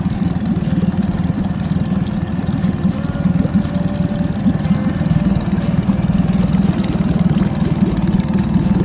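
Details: New 2022 Tohatsu 20 HP outboard, just mounted on the transom, boat in the water on the trailer, 10W30 engine oil and gear-case oil filled; first start settles to a steady low putter with an even, quick beat, no knocking or grinding; clean, smooth idle.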